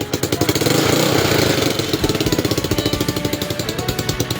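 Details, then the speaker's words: Motorcycle with power loss over bumps, after ignition and pulser wiring checks: the engine starts at once and settles into sharp, raspy, puffing exhaust beats, a leak heard at the muffler (tambucho), which is then tightened; exhaust leak. "So yun, narinig yung ingay galing dito sa kanyang tambucho. May singaw."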